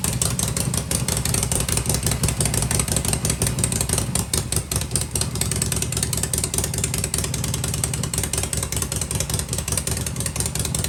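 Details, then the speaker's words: Harley-Davidson Shovelhead V-twin running: loose, uneven potato beat with no ticking or rattling underneath, mechanically quiet when pipes covered to hear the motor; runs strong, normal running. "Holy crow! She's just as quiet as can be, right? Ain't that something? Wow! Sounds good."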